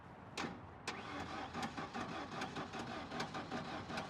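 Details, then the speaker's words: Ford Ranger abandoned about 14–15 years, heavily corroded battery terminals, vice grips on battery: uneven sharp clicks about one a second over labouring crank that never catches; crank no start, cause not yet found. "Woo! Sound like something missing. >> I hear a big click click click click."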